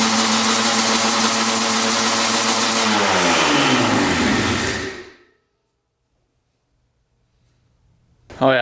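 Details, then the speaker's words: 1995 Yamaha Banshee 350 two-stroke twin, first start after 18 years in a barn, fresh 40:1 premix: fast, busy idle, then revs sag and it shuts off. Idle set too high, about to be adjusted. "she fired up idle was set a little high so let's uh set those idles"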